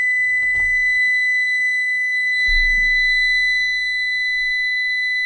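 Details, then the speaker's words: CyberPower 625VA UPS, suspected bad, running a roughly 66 W lamp on battery after mains is unplugged: a steady, piercing high alarm that only stops when the button is held, while the unit keeps drawing power. Continuous alarm from a failed battery. "It's still screaming and still using power. Yeah. And you got to hold that thing down to shut it up."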